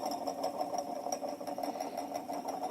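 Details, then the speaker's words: Moskvich 410 heater blower motor, once squeaky with a sticking brush and weak speed, after commutator cleaning, brush springs stretched and old coked grease replaced: it runs with an even mid-pitch hum, no squeal or grinding. "Коллектор почистил, пружинки немножко растянул, чтобы щётки лучше прилегали к коллектору ламылькам смазочку обновил, старую закоксованную смазку убрал. Вообще шикарно работает."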